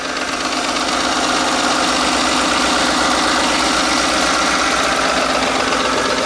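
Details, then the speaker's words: 2010 Ford F-150 V8 idling with a fast sewing-machine rattle from the timing chain and cam phasers, two years after new timing guides and chain; oil pressure drops from 40–60 PSI to zero once warm. "go out there and listen to it sounds sounds horrible sounds like a sewing machine"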